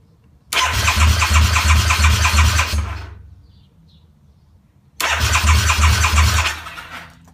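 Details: Harley-Davidson V-Rod in neutral, battery just replaced days earlier: two bursts of brisk, even cranking about three beats a second with no firing; engine turns over but won't start.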